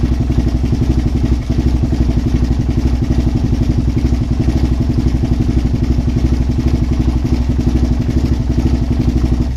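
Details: Suzuki LTZ400 quad being revived, ignition wire jumped and choke applied on first run attempts: uneven, lumpy single-cylinder beat about three pulses a second that stumbles and never settles; rough running, cause unknown.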